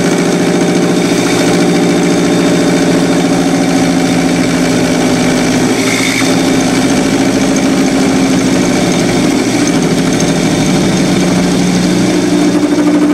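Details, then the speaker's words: Lathe turning a crankshaft for a small two-cylinder horizontal four-stroke model engine: steady buzzing ring with layered tones through the cut, chatter attributed to excessive tool overhang rather than crank overhang; the tool insert is likely worn. "getting a little chatter there as you can hear I think that's more to do with the overhang of the uh tool than it is the actual overhang of the crank itself"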